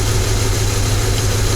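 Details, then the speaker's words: P0300 misfire diagnosis after the customer's parts swaps: the mic is on a screwdriver touching each injector. Cylinders 1 and 3 are bad with no injector click, a steady idle hum only. Cylinders 2 and 4 are good and click. Dead fuel injector. "the bad cylinder now we're going to move to number two that's the get cylinder now go to number three bat cylinder and go to number four good cylinder"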